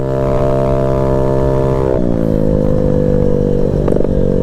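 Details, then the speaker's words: Small engine (Ruckus scooter) with new spark plug, warming up, running 4–4.5 gram variator weights: loud steady drone that sags instead of climbing, engine not reaching high rpm; cause unknown. "I'm running like four and four and a half gram weights and it's not going anywhere or at least my rpms are going that high so what's the issue"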